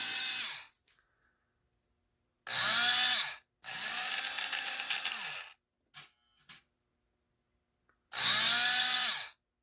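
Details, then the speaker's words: Lionel 6-12741 intermodal crane after a brass pinion gear was installed. The knock had come from a cracked plastic helix gear meeting the worm gear. Now short bursts of even motor whine with no knock or skipping. "well I'm going to call that a success"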